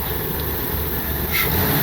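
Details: 2003 Ford Windstar 3.8L V6 with 170,000 miles, after replacing a cracked ignition coil blamed for rain-related misfires and an occasional cylinder 2 misfire code. Short rev with a smooth, even exhaust note and no stutter; firing cleanly.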